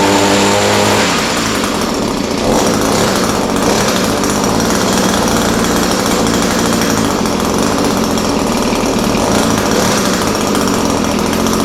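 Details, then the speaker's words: Echo SRM-210 straight-shaft line trimmer after repair kit (new carburetor, primer bulb, fuel lines, air filter), started on half choke, slight carb adjustment: small two-stroke buzzing at a steady high idle, even and crisp without stumbling or surging; normal running. "all right so that sounds pretty good uh started fairly easily needed just a little bit of carburetor adjustment um but starts easy now runs good"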